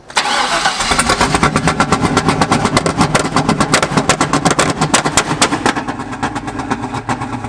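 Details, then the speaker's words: Chevy LS-swapped drift car after an engine-bay fire, first restart: lumpy, uneven V8 with loud irregular pops and bangs, black smoke, dumping fuel; misfiring and backfiring hard. "Oh god, it's dumping fuel. Backfiring heavy too. That was loud."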